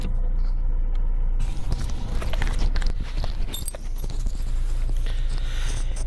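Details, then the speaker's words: Lada Priora after a steering rack rebuild with a new bushing, new support and fresh grease: the small-bump knock was traced to the rack. Steady low road rumble over small bumps, only faint light taps, no clunking; the rack is tight. "итак перебрали мы рейку дело было в рейке сейчас покажу результат"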